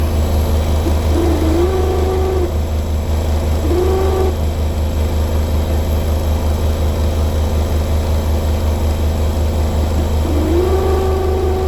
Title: Beko pump making strange noise